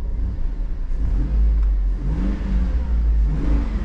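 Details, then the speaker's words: GMC LS V8, with Pro Lube blamed for lifter clatter: smooth low rumble through a couple of free revs, no ticking on top; sounds good now, hoping the lifters stay quiet. "sounds pretty good now yeah hopefully these lifters will not clatter anymore because ls's do not like proloop maybe just shafers we'll stick with that"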